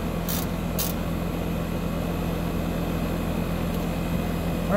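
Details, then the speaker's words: Heat pump outdoor unit after replacing start and run capacitors, mid-60s °F outside: even low compressor hum with steady fan whoosh and no knocks or rattles; compressor running normally, line cold and cold air at the registers. "we can tell it's working because we can hear the compressor running we can also feel how cold the line is"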